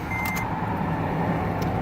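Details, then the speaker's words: 2008 Toyota FJ Cruiser, cold start below freezing: quiet even low hum, no ticks, knocks or hunting, super smooth; normal cold start idle. "And here we go. Super smooth."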